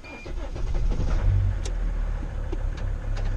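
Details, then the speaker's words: T1N Mercedes Sprinter diesel, sitting over a year and previously hard to rotate, first start: brief cranking churn, then it catches and settles into a steady, even low rumble; starts cleanly and runs well. "Well guys, success. Guys, listen to this beautiful sound. Isn't it just working beautifully? That's the way a diesel should sound like."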